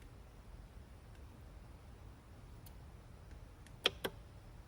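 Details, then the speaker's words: 2004 Mercedes-Benz S600 W220 V12 with a newly fitted eBay central locking (PSE) vacuum pump: a couple of sharp clicks but no buzzing run-up on lock/unlock. The pump is faulty and never builds vacuum. "I'm here to really click it inside but it should be making a buzzing noise garbage pump 200 bucks wasted on eBay"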